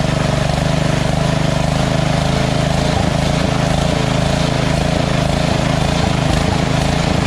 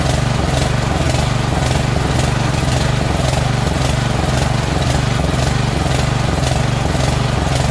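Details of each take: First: Lawn tractor engine after the surging carb was replaced with a Chinese-copy Nikki 590399 on an O-ring manifold, backward 90-degree fuel nozzle (surging blamed on fuel starvation): even, steady putter at idle, no rise and fall; no surge. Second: Small-engine mower carburetor surging at idle, started on choke with a jumper pack: rhythmic rise and fall about twice a second; the carburetor is dirty with a blocked passage and runs well only nearly choked.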